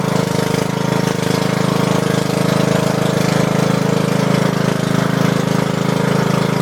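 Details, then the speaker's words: Lawn mower, carburetor just cleaned, muffler removed, horn added: harsh, rapid, even unmuffled popping bark, steady at constant throttle; very loud open exhaust. "All the neighbors hate me now. I can't hear you. All the neighbors hate me now. It's so loud."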